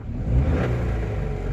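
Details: Hyundai Eon Magna Plus, 1.0L (1000cc) three-cylinder Kappa engine: quiet at idle, but a low, dull cut-cut knocking rides on the engine as it revs, louder with throttle; sounds like a bottom-end knock, cause not confirmed.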